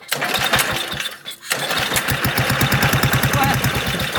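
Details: Briggs-engined MTD walk-behind lawn vacuum blower, sitting about three years: sputtering pull-starts settle into a quick, uneven popping run as the engine catches briefly on starting fluid before fading.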